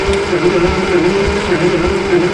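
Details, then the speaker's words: Gleaner combine gasoline engine with a rebuilt carb and starter, cranking with the choke held shut. Even starter whir with a beat about every half second, never firing. No spark found; owner suspected the coil, but a simple coil test then produced a spark. "we're not getting any spark pretty simple ignition system"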